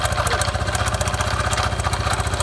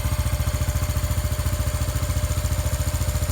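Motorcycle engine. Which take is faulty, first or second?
first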